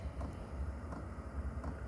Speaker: that is the fuel pump if you can hear that little ticking like i said it just goes with your fluid with your gas your diesel so anyway yeah this is going and it's heating up